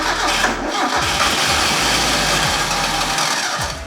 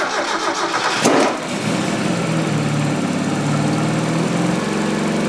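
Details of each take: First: Mazda Miata NA 1.6 with new ISR turbo kit: steady, slightly lumpy cranking with no firing strokes, fuel pump deliberately unplugged so it can keep cranking. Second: Mazda Miata NA 1.6 turbo (ISR kit) after fitting upgraded fuel pump and new injectors: cranks briefly, catches within a second and settles into a steady, even idle with no misfire; running clean.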